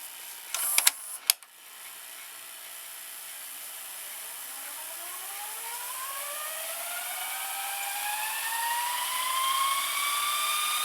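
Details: Early-nineties Toshiba M659 VCR rewinding: a few mechanism clicks, then a smooth whir whose pitch climbs as the reels speed up. Normal, fast rewind.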